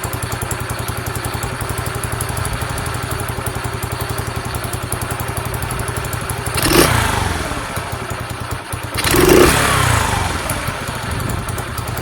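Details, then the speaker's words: Sinnis SC125 single-cylinder motorcycle, cold spring day, after adjusting carb idle screw: steady even idle with two throttle blips returning cleanly to settled tickover; best it has ever run. "That's the best it's run ever, I think. Sounds good for that product, actually."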